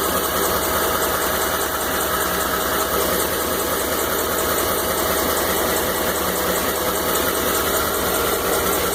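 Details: 2012 Ford F-150 5.0 V8 at idle: faint, uneven knocking mixed into the running noise, roughly two or three per second; engine knock, source undiagnosed.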